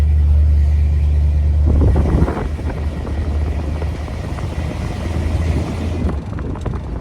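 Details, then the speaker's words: Truck limping to a garage: steady low drone then loose irregular rattling and clatter from the rear under road noise; owner suspects a failing universal joint, with the exhaust also found rubbing the frame rail. "see if you can hear it there's something rattling around back there and I'm kind of worried that our rear um I'm kind of worried that our what do you call that thing universal joint I'm kind of worried that our universal joints going out"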